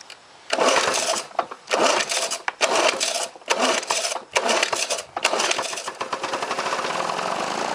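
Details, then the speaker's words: 1977 Lawn-Boy two-stroke mower, barn find after mechanical restoration with new fuel line, heavily primed: after a few choppy, sputtering bursts it settles into an even, steady buzz; normal running. "Let's see what it does. Ooh. Sure sounds like it wants to mow a lawn."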